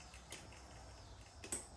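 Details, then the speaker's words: Schwinn 21-speed bicycle after reassembly with new tubes, chain placement uncertain: quiet turning with a couple of light, sharp clicks about a second apart; the chain is still clicking, cause unclear. "I think yeah that's driving the bike and you can still hear that chain clicking a little bit"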